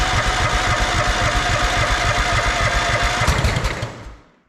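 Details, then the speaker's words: Estate-sale Snapper zero-turn mower with mouse nest, battery just charged: labored cranking pulses that slow and die away with one pop, no start; owner suspects a failing battery. "Well, we got a pop out of it, but our battery sounds like it's failing."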